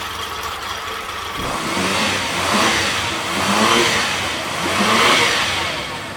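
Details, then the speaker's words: Honda 30 outboard revving after repair (it had been knocking and tried to stall on sharp throttle): three clean rev-ups and drop-backs with no knock or stumble. Lower unit overhauled, carburetors re-cleaned. Normal revving. "And so it works without noise, everything is fine, no knocks, the lower unit has been overhauled."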